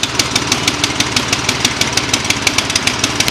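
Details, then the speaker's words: Troy-Bilt snowblower with Tecumseh OHV engine, after freeing a stuck-open exhaust valve that caused backfiring and no start: loud but even popping exhaust, about six beats a second, no misses; started easily, runs properly. "it no backfire started up on a slight second easy pull so clearly the problem was that Valve sticking in the overhead valve"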